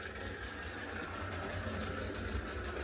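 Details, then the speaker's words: HO scale Clementine locomotive, which dislikes reverse and sometimes slips a gear: quiet even motor whir with light steady gear tick, no catching or slipping; best it has ever run. "I believe this is the best I've had this thing run in its entire lifetime."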